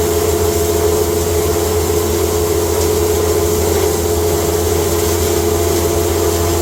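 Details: Electric cattle-feed grinder with rotor and blower, first time grinding hay fed slowly through the hay slide into a bag: steady motor drone and even mid-pitched whir, no knocks or surges. Normal grinding operation.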